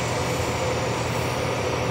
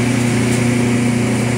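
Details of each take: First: Sharp twin-tub washing machine, spin dryer after replacing the defective dryer motor that caused weak spin: steady, even whirring rush with no knocks, scraping or wobble; spin dryer running smoothly and healthy. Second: Sharp twin-tub washing machine spin dryer: steady low motor hum with an even drone and no speed build; weak spin dryer from defective dryer motor, replaced.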